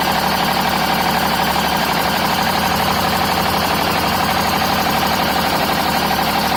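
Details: BMW 530d with M57 diesel at idle: a harsh, steady high screech over a fast, even pulsing clatter from the engine bay, believed not to come from the belts. Finding: screeching noise from engine bay.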